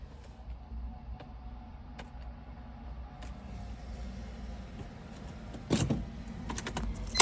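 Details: 2002 BMW E46 M3 SMG, no pump sound on door open, stays in 0 not N, code P1717, after relay swap and battery charge; faint thin whine with scattered clicks on key turn, no crank; owner thinks whine is starter.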